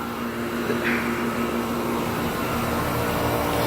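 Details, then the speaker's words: 2015 Tempstar 2.5-ton central air conditioner outdoor unit running in heat mode with cold air blowing out: steady low hum with a smooth fan rush and no rattles or rising squeal; runs healthy. "that's also ice blowing out of this almost drop the phone 2015 two and a half times both sounds really good"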